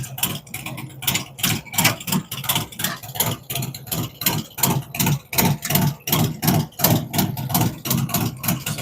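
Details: V-twin on first fire-up after Zipper's 468 cam, adjustable pushrods, aluminum intake, 5.3 injectors, existing headers and ThunderMax, no throttle; lumpy but regular lope almost three beats a second, no knocks or ticks; normal idle.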